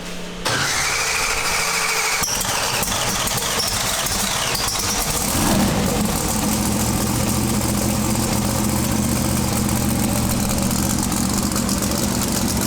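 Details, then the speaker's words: Twin-turbo big-block V8 pro mod drag car with a new Turbo 400 transmission, at first fire-up after about 2.5–3 years. It holds a fast, steady idle that never drops back. High idle, throttle suspected to be hitting its stop and needing adjustment. "all right so let me see if I can work out what's going on the throttle try and get it down a little bit sure sounds like it's hitting the stop"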